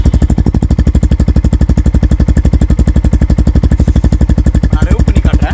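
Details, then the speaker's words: Yamaha FZ-X single-cylinder idling with no throttle after self start: steady even thumping at about four pulses a second, smooth and regular; normal idle. "இப்போ எந்த ஒரு ஆக்சலரேஷனுமே நம்ம கொடுக்கல. இது வந்து just ஐடிலிங் condition தான்."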